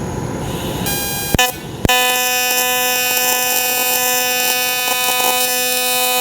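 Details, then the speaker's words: Dynasty AC TIG welder on aluminum at 160 amps, 75% balance and 250 Hz frequency (maxed), which makes it loud. After a couple of clicks the arc lights into a loud, steady, even buzz. A normal AC TIG arc. "I use it the balance at 75 percent in the frequency all the way up at 250 I think that's maxed out and that's why the welder sounds so loud it's just the settings I've always run in the settings I prefer"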